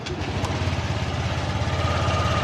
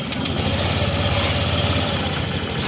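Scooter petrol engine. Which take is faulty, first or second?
first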